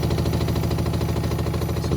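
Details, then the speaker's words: Hotpoint WMXTF942P washing machine at full-speed spin with a full wet load; heavy rhythmic low thumping on every drum turn, excessive shake. Loud spin vibration, more than likely from worn dampers. "That is quite excessive. More than likely the dampers are"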